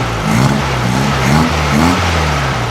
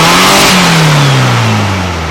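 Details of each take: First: 1956 VW Beetle engine with open pipe, after fixing a faulty spark plug cap on a dead cylinder; low, throaty, even idle with no misfire or knock, sounds like a healthy VW, though revving up still not right. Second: 1956 VW Beetle, open exhaust pipe, distributor just timed; engine not revving properly, but with the choke applied it pulls up sharply and winds down evenly, showing it runs too lean without choke.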